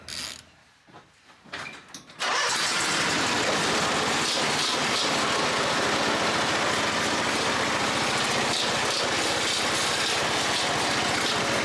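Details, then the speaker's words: Toro Z Master 5000 zero-turn mower: fires and runs fast with a hard, steady knock about three times a second over the exhaust. Oil level checked fine and the source is unknown. Engine knocking. "Wow. Something sounds like death on this. It sounds nasty. I don't know what that is."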